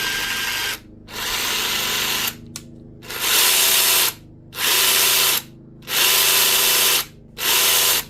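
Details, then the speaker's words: DeWalt DCF891 cordless impact wrench, unloaded short bursts after strip-down, cleaning and regreasing: harsh, rattling, gritty gear noise from obviously damaged gear teeth; it had ground and jammed, now turns but still noisy. "it's still not in a healthy condition given that the teeth are obviously damaged on the gears um but it's working for now"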